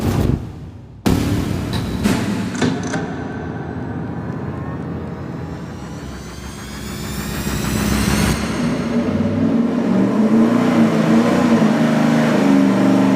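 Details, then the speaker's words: V8 on the dyno with a budget 750 CFM four-barrel carburetor, secondary butterflies zip-tied to open mechanically: it pulls hard, pitch climbing evenly with no stumble or flat spot. A clean wide-open-throttle pull. "They're open more. Now they're open. Performs as it should. That was killer."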